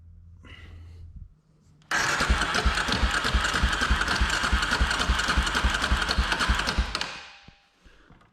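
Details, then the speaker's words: 2003 Polaris Predator 500 spun over during a compression check, only 110 psi: cranking about 3.5 beats a second with a heavy clunk each turn. A stripped flywheel keyway is suspected but not confirmed. "And he told me, he's like, I guess he's on like the forums or something, and someone that also rebuilt one of these said that the keyway for the flywheel will strip out. So definitely sounds like it's making some clunking noise."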